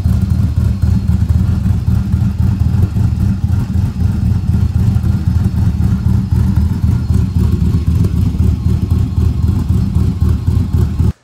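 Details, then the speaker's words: 1937 Diamond T truck idling with the chop tune reinstalled now that the converter no longer rattles when it chops. A deep, choppy idle loping at about four beats a second with no metallic rattle; a healthy big-cam idle with a quiet converter. "So, well, I put the chop tune back in since now the converter doesn't rattle when it chops."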